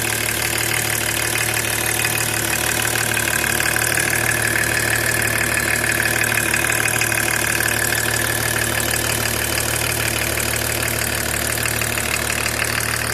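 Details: BMW E36 325td diesel: idle with even, regular tapping about three times a second over the clatter; abnormal engine noise, cause unknown.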